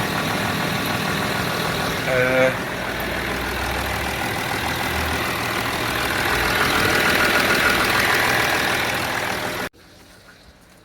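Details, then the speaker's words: 2009 Land Rover Discovery 3 diesel with 150k miles, on its first start after a timing belt change: steady, even clatter at idle with a regular beat of about four per second and no knock or misfire; normal idle. "think it's done it sounds um it sounds like a discovery"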